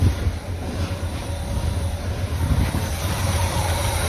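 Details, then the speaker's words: 1979 Chevy Scottsdale after a new starter, running off the tank with fuel leaking at the carburetor accelerator pump and about 50 psi oil pressure: deep, steady low rumble with an even pulse and no knocks; normal running. "well she's a runner fuel coming up from the tank that's running off of the tank"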